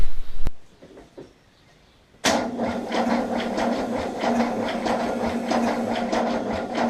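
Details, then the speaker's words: 1979 Holden HZ one-tonner ute parked for years: cranks better after fixing the battery cable, even chug about three times a second but never catches; spark at the coil but none at the plug, points gap to be reset. "right so you know it's turning over much better now though we sought out the battery cable we're getting a spark from the coil but still still no spark to a plug"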